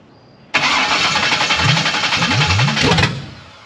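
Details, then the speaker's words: Blueprint 540 big-block Chevy in a C10, 870 cfm Holley Street Avenger, open headers, second start attempt with plug order unchanged: it catches and runs rough with uneven loping and stumbling, acting like ignition timing is way off. "sure man that's acting like it's way out on timing"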